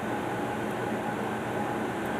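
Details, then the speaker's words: Lennox Elite Series furnace, year unknown, after the burners shut off and the inducer stops: smooth, even airy roar with a faint hum and no rubbing or ticking as the main blower pulls out the remaining heat; blower and bearing healthy. "as you can hear right now the via main blow are still going to get all the heat of possibly can from it"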